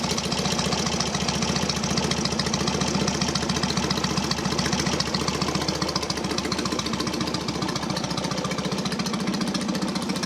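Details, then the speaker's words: Norton P11 Ranger twin, just finished after 15 years off the road and in pieces: loud, even idle with a steady throb, about three to four beats a second, no misses or stumbles; healthy. "First thing I'm going to do, I'm going to show you this now, because this sounds nice."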